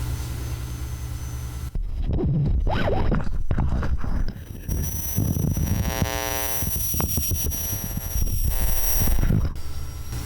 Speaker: It is making a weird noise. Can you guys hear that?